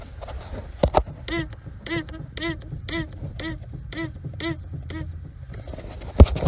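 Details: 1997 Jeep Cherokee Sport in cold winter weather: the steel steering column rubs the rubber firewall boot inside the cabin, giving rhythmic moaning squeaks about twice a second as the wheel is turned back and forth. Greasing the boot fixes it.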